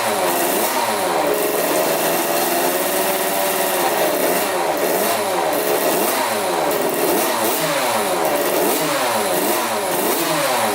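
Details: 1985 Yamaha YZ80 two-stroke, first start after a rebuild, on premix: crisp ring-ding buzz rising and falling with repeated throttle blips, clean pickup, no rattle. Runs well after the rebuild.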